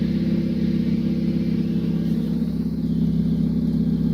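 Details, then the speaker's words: 2010 Honda Civic LX Coupe R18 running after exhaust hole patched with a beer can: steady smooth drone, no puffing or ticking from the exhaust; leak sounds sealed. "I didn't hear the little like moths because I hit one went like the gas is kind of like seeps through the cracks but I don't even hear it anymore I think that might have actually worked"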